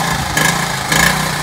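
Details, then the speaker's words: 1978 Honda Z50A mini trail bike, small single-cylinder, just started with choke set to half, idling slightly fast, pitch swelling and easing as it settles; healthy normal idle. "so it runs right now and the choke is on so it's running a little bit faster now i have it on half through"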